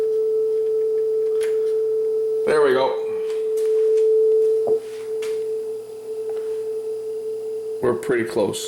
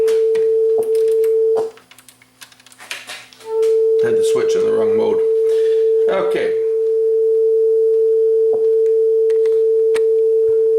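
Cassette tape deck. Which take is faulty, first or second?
second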